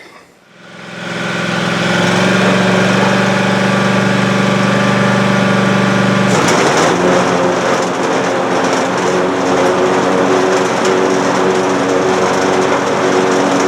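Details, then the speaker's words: Cub Cadet Ultima ZT2 zero-turn mower, Kawasaki engine, final test after fuel pump, carburetor and other repairs; fires up and settles into a steady, even drone about four pulses a second, no stumbling or knocking: normal running. "but as you just saw, it's running great. It sounds great."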